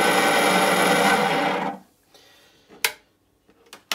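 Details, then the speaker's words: Bait boat main drive motor with a failed, worn-out main bearing: harsh, gritty metallic whirr for under two seconds, then stops with a few knocks; this noise is amplified across the lake, so the bearing needs replacing. "you can appreciate that noise echoing through this out into the water"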